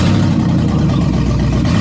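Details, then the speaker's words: 2007 Chevy Tahoe, rebuilt 5.3 V8 with BTR Truck Torque camshaft, first start on open headers, no exhaust: loud, deep, even roar firing cleanly under a throttle blip; healthy, no leaks seen, just too loud. "so good it sounded good but also too loud it needs the exhaust it needs the exhaust"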